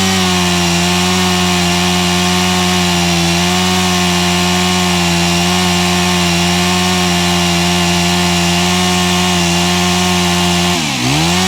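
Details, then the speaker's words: Honda HHH25 four-stroke hedge trimmer after carburettor tuning and a new fuel filter: the small engine holds a steady, even buzz at constant speed with no surging or bogging. Normal running. "So, I have just put a new fuel filter in here too. These don't rev like a 4-stroker, like a 2-stroker."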